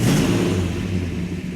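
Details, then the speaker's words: Freshly restored 1967 Plymouth GTX convertible, 426 Hemi four-speed, fired up before a road test: deep, lumpy rumble settling right after start-up, firing evenly with no knocks or ticks; healthy idle. "sounds healthy it does"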